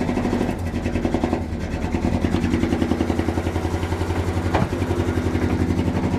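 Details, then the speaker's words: 1971 Dodge Sweptline big-block V8 after carburetor float work following hydrolocking fuel flooding; irregular loping idle with pulses dropping out, firing order checked correct, misfire blamed on fuel-fouled spark plugs. "She's missing something fierce. All right, what's going on here? Let's double check the firing order."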